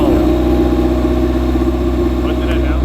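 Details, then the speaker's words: Honda CRX with freshly swapped B18 engine on first start: deep, slow, slightly uneven idle around 500 RPM, sounding lazy and close to stalling; idle speed too low, rising to 2,000 RPM when throttle touched. "God sounds like a Hana baby [Music] it's idling at like 500 RPM huh"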